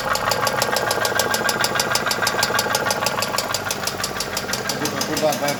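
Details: Mercedes M111 2.2 engine: sharp, fairly steady tick about three per second over the running engine; internal knock of unknown cause.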